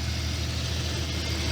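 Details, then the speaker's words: Jeep XJ Cherokee, 172,000 miles, revived after sitting 11 years, restarted after an earlier attempt sounded like something wasn't tight: a steady, even low rumble at idle with no knocks, ticks or belt squeal, 40 lb oil pressure. Normal idle, running great. "Let's try that again. There we go. Much better. [Music] This thing's running great."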